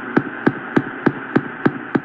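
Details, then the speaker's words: Sangean PR-D14 portable radio with Terk Advantage loop antenna, daytime AM band near Chicago: even, hollow knocks about three per second over a faint tone on a received station; listener suspects the transmission, not the radio. "what the heck is that sounds like knocking they that's got to be a transmission thing it's not the radio"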